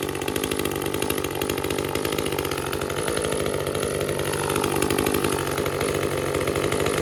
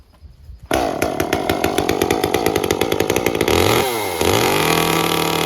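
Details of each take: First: Echo CS-355 chainsaw, screen found badly clogged and cleaned: buzzes then blips throttle with slightly blubbery, lazy pickup before shutting off; both adjust screws at leanest limiter settings yet still runs a little rich. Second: Echo CS-355 chainsaw after cleaning clogged screens, with the limiter cap removed and the carb leaned, perhaps half a turn. Fires up and holds a clean, crisp high rev with no four-stroking burble, then eases off smoothly; mixture now set right.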